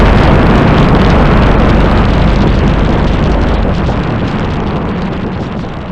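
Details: BMW M240i with the B58 engine, not flame-tuned and not catless, on a run: a heavy engine roar broken by loud, fairly regular exhaust pops about four a second. A bad misfire; owner suspects too much ethanol overwhelmed the fuel pump.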